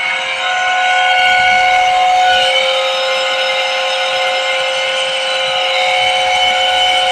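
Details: 160 TR water-cooled chiller compressor: a steady, piercing whistle with several high tones rides over the running compressor without wavering. Abnormal compressor noise, cause not identified.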